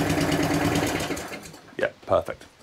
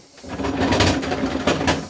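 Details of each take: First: Atco Balmoral cylinder petrol lawn mower after drive repair for grinding/no-drive: engine runs smooth and steady with drive engaged, no grinding or catching; drive working normally. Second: Atco Balmoral 14S cylinder lawn mower, side cover off: harsh gritty grinding with ratcheting bursts when pushed forward, none when pushed backwards; drive gear grinding, owner hopes a new part will fix it.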